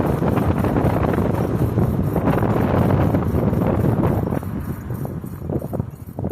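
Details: 2009 Ford Fusion at 109k, driving: rough rhythmic grinding scrape that rises with speed whether straight, turning or braking, apparently from driver-side front wheel; worsening over six months; cause unknown.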